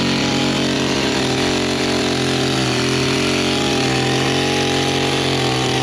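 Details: Small two-stroke engine after flooding with wet spark plug cleared; loud steady buzz holding one pitch, no misses or surging; running cleanly, works great.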